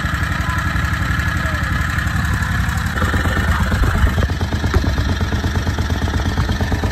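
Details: Harbor Freight Predator 670 22 HP V-twin in an EzGO Workhorse golf cart, after turning the carburetor idle adjustment down further (from about 1800 rpm warm): steady, even fast idle at 1100–1300 rpm per tachometer, settling slightly higher midway; smooth, correctly set idle.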